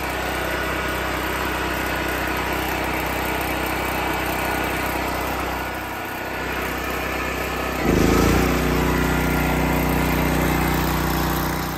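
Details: Off-grid generator running on liquid propane, choke set to run, powering a well pump: steady drone with even firing, picking up smoothly to a fuller stable note around eight seconds; healthy running.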